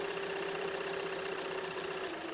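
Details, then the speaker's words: Hyundai Elantra after repair for surging, rough running and codes P0017 and P0301: smooth, even idle with steady pitch and no misfire stumble or knock; fault fixed. "Yeah, this is good. It's fixed."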